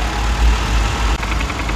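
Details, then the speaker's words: Cold Lexus 250 (Toyota 2.5) petrol engine with a fast, light clatter from low in the block near the oil pan, from worn balance shaft gears with excess gear clearance; fixed by replacing the gear. "这台雷克萨斯250的异响我们已经找到了，我们过来看一下这个齿。对，冷车的时候就是这样子响。"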